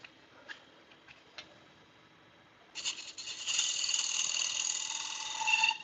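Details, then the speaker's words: Wood lathe parting off a bowl lid: after a quiet start, a harsh high-pitched scraping chatter holds as the tool cuts; little wood is left holding the lid, causing vibration. "It's making all that noise because there's not much still holding it on there. So, I'm getting a lot of vibrations."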